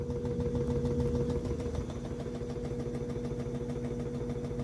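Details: Samsung inverter top-load washer WA15J6750S, two years old, that would not finish its wash program: steady, even motor hum with a constant tone and no thumping or knocking; spinning smoothly.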